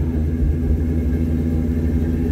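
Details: Work truck at idle: a heavy low rumble with a lumpy, unsteady beat. Rough idle; a friend says it is running rich, and the owner suspects it is burning up the coils and may need a fuel pump. Cause not confirmed.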